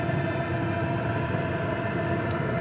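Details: PH21A 2 kW 12 V diesel parking air heater in automatic climate mode set to 22 °C: steady, even hum with a constant mid tone, no surges or rattles; burning and blowing normally.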